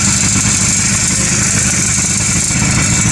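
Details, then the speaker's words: Late-1957 or early-1958 Berkeley SE328 with a small Excelsior two-stroke engine, serviced after not running for years. Starts and runs with a loud, buzzy note, steady but ragged and slightly uneven; it runs after long storage but needs a tune-up. "holy cow i mean it definitely needs a tune-up but well it'll be underneath the car hey not bad that's pretty good"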